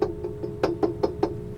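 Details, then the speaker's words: Carver C-19 tube amplifier on the bench, with its voltage slowly climbing as the tubes warm: each tap on the chassis comes through as a sharp, ringing knock. Strongly microphonic. "and it's making the noise now and that voltage is slowly climbing up and as you can hear very very microphonic"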